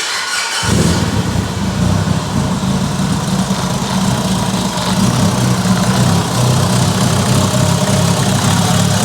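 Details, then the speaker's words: Abandoned Mitsubishi Evo 8 restoration, first start with new ECU after fixing an unplugged wire that caused a misfire: catches quickly and settles into a steady even idle with good oil pressure, no stumble or miss. "oil pressure is beautiful wow this sounds so good wow"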